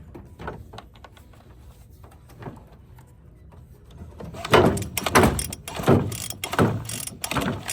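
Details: Free found Bolens BL160 string trimmer with new plug and fresh fuel, air cleaner off to check the carburetor and spark: five or six quick rasping starter strokes, no firing; cranks but won't start, cause suspected, not confirmed.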